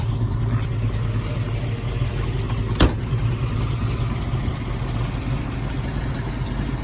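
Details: Restored numbers-matching 1970 Ford Mustang Boss 302, original carburetor, in neutral, fires right up: deep, even V8 burble with a steady low rhythm and one sharp blip; healthy cold start and idle.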